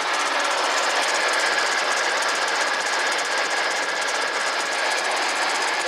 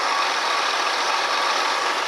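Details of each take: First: Ford Expedition 4.6L V8 running: constant high bearing squeak over rapid engine chatter, traced with a stethoscope to a worn tensioner pulley bearing. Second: Ford Expedition 4.6 V8 idling after replacing the belt tensioner pulley that had made a constant bearing-like squeak: steady, even engine hiss with no squeak or chirp, so the accessory drive is quiet.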